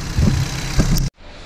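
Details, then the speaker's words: BMW 320i turbo, first start after engine rebuild, faults cleared and no dash lights, left to warm up: about a second of steady, fairly loud idle with soft bumps; noted as a noisy engine but idling normally, no misfire. "É barulhento esse motor. É muito barulhento esse motor mesmo."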